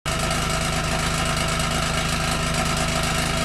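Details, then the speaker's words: 2013 BMW 328i xDrive F30 at idle: loud fast metallic buzzing rattle from a loose exhaust flap valve on a rear tailpipe, its muffler control valve actuator clip failed; fixed by replacing the clip. "that was a horrible sound coming from the exhaust pipe of my 2013 BMW 328i X drive this problem first happened about 5 years ago with this car and the problem is with the little exhaust flapper valve on one of the exhaust pipes at the back"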